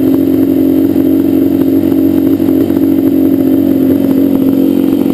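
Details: Yamaha Banshee two-stroke twin: lumpy uneven idle, left cylinder dropping out, pipe not warm at idle; carbs rebuilt, balancing tried, air screws adjusted, misfire does not follow plug; cause unknown.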